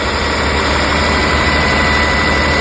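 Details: Steady, even idle with a smooth hum, no knocks or misses, on a 2002 Toyota Camry 3.0L V6 1MZ-FE just after starter replacement; battery was disconnected so computer may need to readjust; normal idle.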